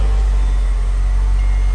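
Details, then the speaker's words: Mercedes SL55 AMG supercharged M113K V8 after ABC-to-coilover conversion, idled until ABC fluid on the belt stopped slipping: deep, even burble with no chirp or squeal; smooth healthy idle. "Now, that's what a supercharged V8 is supposed to sound like. Nice and smooth."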